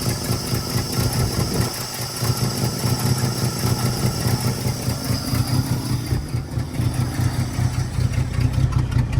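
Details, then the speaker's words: Old truck with a rebuilt Carter downdraft carburetor, warming up after a cold start at about 8 degrees, choke now off: a steady low idle holding on its own, a fairly even rumble with slight unevenness. A normal idle. "Got no choke right now. Kind of idling on her own."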